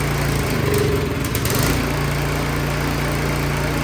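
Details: Craftsman 22-inch snowblower that would not start, started on choke after reassembly: a rough catch, then a steady, even buzzing run with no stumbling, running properly.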